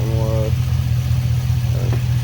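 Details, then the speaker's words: 2005 Chevy Silverado 5.3 idling about 10 minutes after a part swap to cure a dripping water leak and an intermittent racket; deep, steady idle with no knocking, rattle or bearing rumble; normal idle. "been running like i said about 10 minutes just full of water ain't making a lot of racket like that one"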